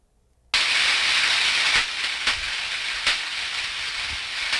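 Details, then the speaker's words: Switch, second ultrasound recording: steady hiss broken by sharp irregular pops about once a second, stronger and more frequent than before; tracking on the switch-leg insulator, arcing ruled out. "that ladies and gentlemen is tracking and it was it was on the insulator on the switch leg the second one with all the poppin is even more revealing"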